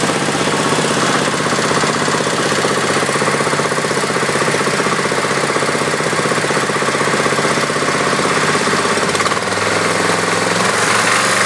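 Single-cylinder thumping about four beats a second with a metallic rattle and the odd stumble; rattling and occasional misfire, cause unknown.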